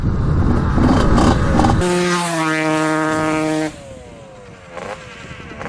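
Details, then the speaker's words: Suzuki RM125 two-stroke dirt bike, barn find unused for about 15 years, on its first ride: revs hang, then fall off unevenly and sputter, as if running lean, though fuel is reaching it; cause unclear. "like it's running lean let's see if it's leaking gas i don't like the sound of that it sounds like it's not getting gas or something that sounds really weird"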